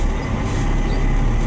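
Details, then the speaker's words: 2014-build JCB 3CX Sitemaster backhoe with a 4-speed manual gearbox, heard from inside the cab while driving. A heavy, low, droning boom over the diesel rumble; awful cab drumming resonance. "It's noisy. I mean, the drumming is awful. You can hear this resonance."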